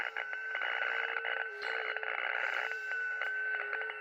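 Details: Radio receiver with a steady whistling buzz pulsing and dropping out about every second over hiss, on all bands, several radios and antennas, persists with the house breaker off; RF interference of unknown source, solar storm suspected.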